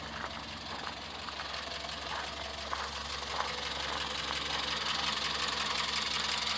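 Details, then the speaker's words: Morris Minor 1000 convertible with rebuilt engine (new pistons, rings, seals), just started on choke then choke eased: even, steady tick-over with regular pulses that settles smoothly; normal idle. "Sounds just like your Mogy should. Really, really does. Settles down to a lovely idle."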